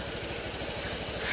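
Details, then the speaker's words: Honda Beat FI scooter after repair of a rough starter with a CVT 'klinting' rattle like a loose plate (retightening the plate didn't help; part glued back): quick, even idle putter, smooth, no rattling from the CVT/starter side. "suaranya halus enggak ada bunyi gemericik nya"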